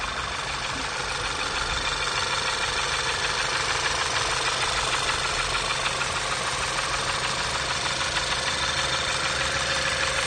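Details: 2012 VW Passat CC 2.0 TSI (EA888 gen 1, CCT), 189,000 km, cold start on fresh oil, oil changed only every 10,000 km: steady, regular knock of about three per second ('tah-tah-tah') over the idle hum; piston knock, third cylinder found scored.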